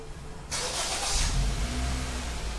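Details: Honda Jazz automatic (new model), after replacing the transmission speed sensor and repairing rat-chewed wiring: quick crank, engine catches at once and settles into a smooth, even idle; check engine light clears, a clean start.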